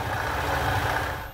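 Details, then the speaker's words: Yamaha Aerox 155 scooter idle after CVT repair for oil seep and judder around 40 km/h; with the second ring refitted as original, the rough ticking is gone and the CVT sounds smooth, steady and normal. "Setelah ring dipasang sesuai aslinya maka mesin kembali menjadi halus dan normal kembali"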